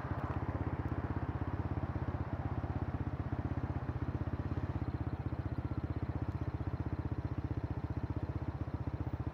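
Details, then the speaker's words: Kymco K-Pipe motorcycle with a 50-tooth rear sprocket, in 4th gear around 35 mph: loud, fast, even engine note held high at steady cruise, revving hard for the pace; rear sprocket too large, gearing too short. "I gotta downsize the rear sprocket. I went way too big with 50 teeth."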